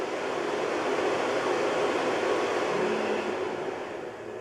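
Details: Carver Fanmaster caravan heater 12 V fan, 1996 Swift, after fan and control PCB repair: steady airy whoosh with slight speed drift, no knocking, scraping or bearing grind; runs normally, though motor runs quite hot and may still fail.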